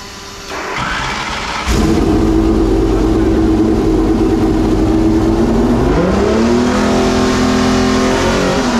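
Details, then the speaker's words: Homemade V12 race engine, after months of storage: rev climbs, then pitch sags and the engine chokes down instead of picking up; bogs when revved with the computer hooked up, which they suspect is messing it up. "this thing sucks down when I R it up this thing sucks down oh hell it's choking itself that thing is wicked sounding"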